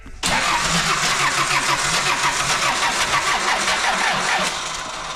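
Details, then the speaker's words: Car on a cold day, no ether, started earlier that day: steady rapid whirring cranking about five seconds, never fires; cranks but won't start, owner blames the cold. "NOP all right not today not it's cold outside you know just it can sense the uh the temperature difference"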